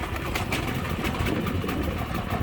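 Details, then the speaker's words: New Powerhorse inverter generator, first electric start on choke: fires quickly and settles into a steady, even idle, birds outside; normal start and idle. "well that was pretty easy we're going to turn it off joe"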